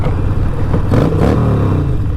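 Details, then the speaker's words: 2020 Harley-Davidson Roadster riding after fixing an exhaust leak from a fully disconnected exhaust flange with new flange nuts: a deep, rumbling note without the former ear-splitting, tinny rattle. Sealed and healthy. "sounds good sometimes it's just like loud doesn't always means it sounds good you know"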